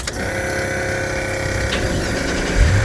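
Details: 2016 Isuzu NPR box truck after starter replacement: engine fires and settles into a steady, even idle with a quick regular beat and no grinding. Finding: normal start and idle, no-start most likely caused by the old starter.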